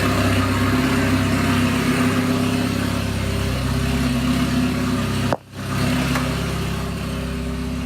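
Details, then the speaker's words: Engine just started after priming oil pressure, warming up at a loud, even, steady idle with no knocks or stumbles; oil pressure decently high, coolant at 140 degrees, waiting for about 180; healthy warm-up idle before dyno day. "Alright, so we're letting the car warm up right now."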